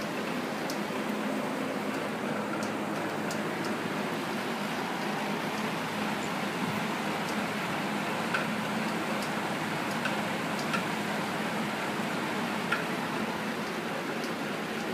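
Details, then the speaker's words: Vintage Rex window/exhaust fan, first test after replacing the shaft sleeve bearings, temporary link belt: steady rush with faint, irregular knocks from the motor shaft area. Bearings need better shims or spacers, and the motor sounds rough. "you can hear that knocking sound and it's something with the shaft of the motor"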